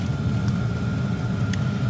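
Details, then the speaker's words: Likaci diesel air parking heater, newly assembled, running in a garage about 9°C outside, letting out lots of warm air with diesel-exhaust smell; low steady rumble with fine fan whir, even and unchanging; normal running. "That's like that is dangling down, put it in front, and it blows sideways. It's actually letting out a lot of warm air,"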